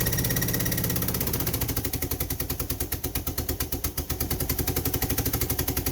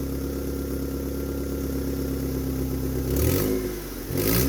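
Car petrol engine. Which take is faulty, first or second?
first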